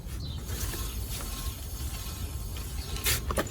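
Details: 2011 Skoda Superb rear wheel, bearing shared with VW/Audi/Seat, spun by hand: turns quietly with no grind or roar, healthy bearing; the noise heard while driving was traced to a left-side wheel.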